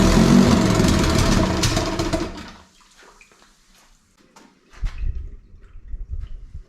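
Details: 18 hp Evinrude outboard sitting in water after a carb rebuild, air screw still being adjusted: it runs loud and ragged, then fades, stalls and sputters weakly. Owner suspects fuel supply, since squeezing the primer bulb helps briefly, possibly because the tank sits lower than the motor.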